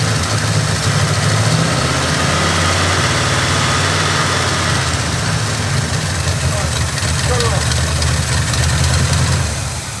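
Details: Oldsmobile Cutlass with a carbureted Rocket 350 and Quadrajet, after the idle mixture screws were set: a steady, even V8 idle with a smooth low rumble and no misses. A vacuum leak is later traced to the back of the carburetor, thought to be the gasket.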